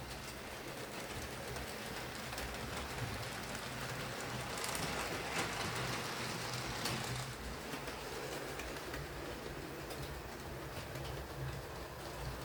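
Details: Hornby R2857 Class 5MT (Black 5) model locomotive after repair of mangled wiring, pickups, drawbar and regreased gears, running on layout: soft even motor hum with light steady wheel rattle, no stalls or stutters; runs smooth and stable.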